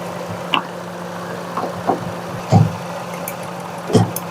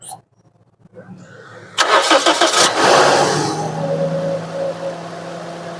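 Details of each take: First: Car with missing and jerking returning after every plug cleaning, low coolant: idle stumbles unevenly with an irregular thump about once a second; misfire from a head gasket blown between two cylinders leaking compression, head later faced and refitted. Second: Car that missed and jerked from a head gasket leaking between two cylinders, after head facing and refitting: quick crank catches cleanly and settles to a smooth, stable idle with no missing or jerking and no warning lights.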